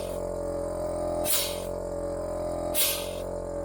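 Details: Range Rover Classic P38 electronic air suspension: steady compressor drone with strong air rushes about every one and a half seconds, engine off, pump run to test; the valve block now delivers plenty of air under test conditions, operating normally.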